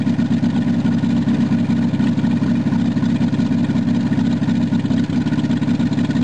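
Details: VW Rabbit long sat unused; it first raced wide open, then idled down after the cold start knob was pushed in and out. Now a steady low idle with an even, settled beat and no surging. Normal idle.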